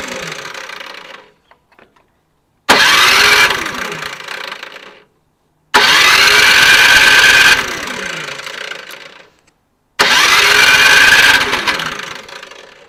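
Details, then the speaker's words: Briggs and Stratton 1024 snowblower, fuel on, choke on, after carb cleaning: engine fires and runs hard about two seconds, then sags and dies, three times in a row; still a fuel-starved carburetor issue. "so it obviously shows us that it's still a carb issue um glad we actually got to hear it run though for briefly"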